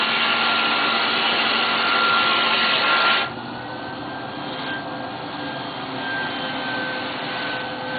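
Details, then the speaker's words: Player piano electric vacuum pump simulating heavy leakage: a loud hissing air rush drops sharply when the intake is closed. The noise is from air across the turbines, not the pump, and is proportional to leakage. "the amount of noise that the pump makes is actually directly proportional to the amount of leakage the amount of air that's going across the turbines"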